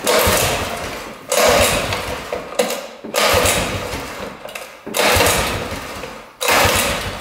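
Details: 1960s Ski Daddler snowmobile (about 1968), two-stroke, after priming fuel line: short rough bursts about a second long fade and restart; won't stay running; owner suspects carb diaphragm bad or stiff, or a problem with the tank fuel line.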